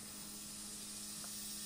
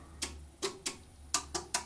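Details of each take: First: Kaco blue planet hybrid inverter in solar island (backup) mode, probably with heat pump and electric car charging together at full load: quiet, steady low hum over a faint hiss as the inverter makes tonal noise, followed by a click as the lights come back on. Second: Kaco blue planet Hybrid inverter with PV and battery storage, tested in a grid outage: after the grid drops and the house goes dark, six sharp relay clicks over a faint hum switch the house to island or backup power. This is normal transfer switching.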